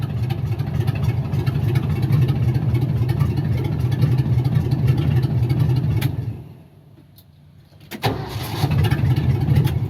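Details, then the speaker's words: 1978 Ford F-700 after fitting a 1975 Ford F-250 starter: engine runs, shuts down, then cranks briefly and catches straight back to a smooth idle; new starter working. "And it did start up there. You saw that. So we're good to go."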